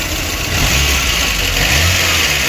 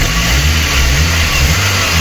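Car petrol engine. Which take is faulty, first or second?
first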